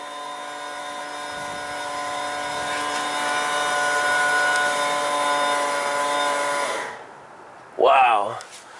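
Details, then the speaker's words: 1996 Chevy K1500 4WD 5.0L V8 crank no-start with earlier low power under load; on key-on the fuel pump whines about seven seconds then stops, running dry with zero fuel pressure at rail gauge; tank must come off. "but there's uh we have absolutely no fuel pressure [Applause] so in this case the tank has to come off as we know the fuel pump runs"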